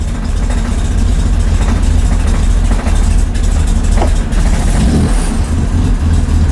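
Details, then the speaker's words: 1965 Chevy Corvair first start after installing an electric fuel pump; deep rough idle sags and surges as throttle is blipped, engine not holding idle, with valve noise. "I don't like the sound of it [Music] I don't like that sound at all thank you [Music] I think we have the cannolis I don't like that sound we're not holding idle"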